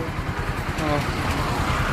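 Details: Single-cylinder bike after replacing the timing chain and chain support to cure a ticking "kit kit" noise: even, steady putter with no ticking or rattle; the top end sounds quiet and healthy.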